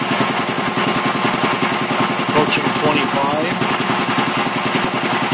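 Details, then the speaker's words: 1975 Quincy QR 325 compressor, pump #325 ROC 10, now on a GE 5HP single-phase motor with smaller pulley, pump at 621 rpm instead of 796: steady even piston thumping about two beats a second, light clatter; runs quiet, builds pressure quickly. "gly enough it still runs very very nice and quiet so actually probably choir then maybe it originally did but still builds up pressure pretty quick"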